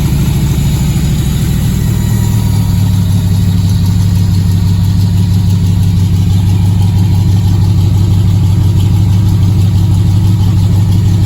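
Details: Factory Five MK3 Cobra replica, 302 Ford with GT40P heads and Holley Sniper EFI and ignition, cold start after 7-8 weeks of winter storage at 38°F: the electric fuel pump primes, then a deep, even V8 burble at high cold idle, healthy.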